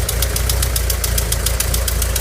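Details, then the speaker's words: 1985 VW Vanagon Westfalia idling after ignition lock replacement; runs well but a small exhaust leak makes a sharp, fast clapping tick about seven or eight per second, still to be fixed. "and it runs pretty good has a small exhaust leak which is a clapping noise the hearing and I'll have to fix that"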